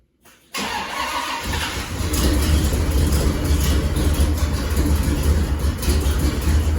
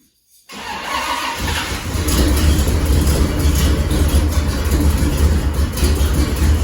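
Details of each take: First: 1979 GMC Caballero big-block V8 fires up into a loud, raspy, chuffing idle from an exhaust leak; the header-to-exhaust donut joint at the collector is very loose. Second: 1979 GMC Caballero (El Camino) big-block V8 after repairing several bad exhaust leaks; fires up and settles into a deep, steady rumble with no ticking or puffing.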